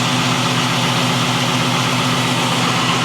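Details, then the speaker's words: LS-swapped Monte Carlo SS on stock cam with mellow exhaust, just started without jump: loud, steady V8 idle, even low burble, no knocks or misses; normal idle. "Now, the cam isn't, this is a stock cam, but I'm saying that the cam that I got that's going in here, it's not too choppy, so, and my exhaust is kind of mellow."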